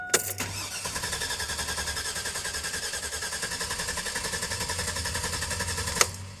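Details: 2002 GMC Sierra; starter churns at about six pulses a second for six seconds but the engine never catches; owner smells gas, says fuel reaches the engine and the fuse box was replaced; cranks, no start.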